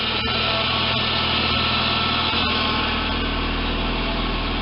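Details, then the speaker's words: Audi A4 power steering: steady whine and hum from the pump over the running engine, fluid low and old though circulating; system flushed with about 1.8 L and fluid replaced. "Audi А4 в Гуре в водке масла мало вой насоса но циркуляция в насосе есть в бачке жидкость"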